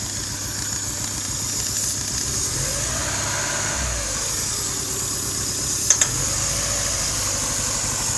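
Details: 2001 Hyundai Tiburon at idle: a steady hiss over an otherwise even idle that does not change with the engine; owner is trying to locate the vacuum leak.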